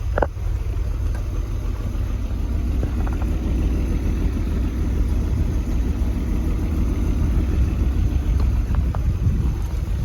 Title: BMW E34 520i Touring Motorgeräusch beim kalt Start danach Raucht er weiße Wolke aus dem Auspuff